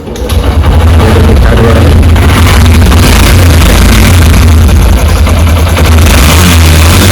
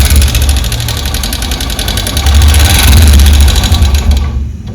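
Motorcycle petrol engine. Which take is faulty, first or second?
second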